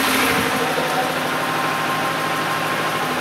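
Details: Car started after a battery discharged to 0.75 V was revived by charge/discharge cycles; rear brakes seemed locked: engine caught and runs at a steady, even idle with a smooth rumble and no knocks or misses, little smoke.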